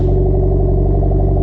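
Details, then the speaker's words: Mitsubishi Lancer EVO X with fully built engine and GTX3076R turbo, warm, after exhaust leak welded: steady even low idle, smooth quiet exhaust, no puffing or ticking; normal idle. "Welded the exhaust too, so we had an exhaust leak. So that sounds a lot better right now."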